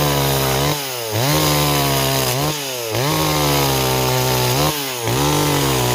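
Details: Stihl 026 two-stroke chainsaw on an 18-inch bar, cutting wood: strong, clean scream dipping and recovering evenly as it bites each cut; saw pulls and cuts properly.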